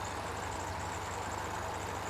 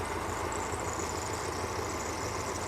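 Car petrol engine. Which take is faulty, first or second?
second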